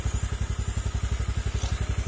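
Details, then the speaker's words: Honda Click scooter idling after repair of many faults, including an aftermarket part. Smooth, regular low thump with no tick or rattle, now quiet: normal idle. "Yan, tahimik na siya mga sir. Wala na yung ang sakit ng ulo."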